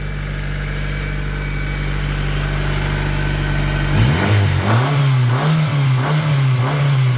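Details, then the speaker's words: 1998 Honda Civic DX bought unseen from a police impound auction, with new cap: steady low idle, then several quick throttle blips rising and falling cleanly; everything seems to work fine, engine sounds healthy, normal idle and revving. "we'll see if it starts yeah everything seems to work fine"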